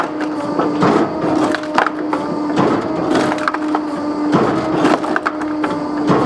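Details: Electric Kindlet Pro kindling splitter on 3-phase 415V 50Hz via VFD from 480V 60Hz, started from E-stop; steady hydraulic motor hum, cooler fan, wood crack and blade thud about every two seconds as wood advances: normal operation.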